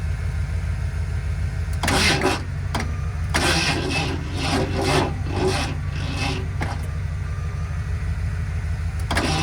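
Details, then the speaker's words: 1978 Ford F-150 plow truck being revived, on a jump from another truck: slow, labouring starter churn that never gains speed or catches; owner suspects the battery is shot. Slow cranking, no start. "there does not seem to be a whole lot of cranking power we're going to try [Music] [Music] again I can hear it bogging down my truck I think it the battery itself is pretty much shot"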